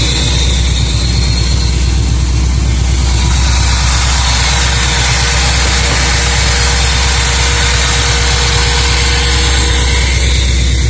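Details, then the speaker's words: 1976 Olds 455 big block with a 400 Turbo in a 1984 Blazer/Suburban, sat 155 days: loud, low, uneven starved idle pulsing about twice a second. The old Quadrajet is barely pumping when throttled. Weak idle, with a fuel pump problem suspected. "you can see it is barely pumping me W watch when I throttle it yeah that's that's not getting much"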